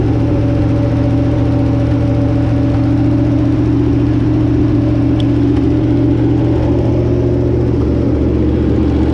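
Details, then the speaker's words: Barn-find Chevrolet 327 on a run stand with a short water pump and partial radiator: even, steady low burble at fast idle with a smooth whir, no knocks or misses; runs healthy, slight exhaust leak noted, thermostat possibly missing. "got everything hooked up and this Old Barn 327 actually runs pretty good"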